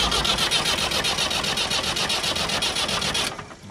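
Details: Massey Ferguson 290 diesel tractor, air being sucked into the fuel lines: even starter cranking about four turns a second with no firing, while bleeding the fuel line nuts one by one. No start from an air-locked fuel system.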